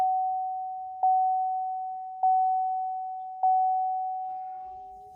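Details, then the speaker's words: 2017-2022 L5P Duramax diesel (GMC Sierra/Chevy Silverado 2500/3500) after fuel filter replacement, key cycled several times: a steady mid-pitched electric hum from below that swells with each key cycle as the lift pump builds pressure; normal priming. "and you can kind of hear it down below building pressure there so I'll go back off back on"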